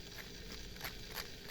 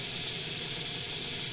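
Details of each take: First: Jouef shunter model locomotive running on a nylon drive gear: harsh whirring with sharp clicks about three times a second; the drive gears are very noisy. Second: Jouef EMU 5154 model train with modified drive, on a rolling road at maximum speed on a Mehano controller: steady high-pitched motor hiss with no rattles or surges; runs evenly, only a little noisy.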